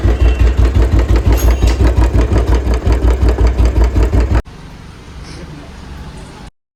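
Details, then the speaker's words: Royal Enfield Bullet/Classic 350 single-cylinder running before a head rebuild. Hard clattery "kat-kat" thump about three beats a second from badly worn, loose valve guides with enlarged bores letting the valves wobble. "Hadi मचा दी इस head ने तो इतनी आवाज आ रही थी गंदी cut cut cut cut cut cut cut cut की जैसे पता नहीं क्या कुछ हट जाएगा"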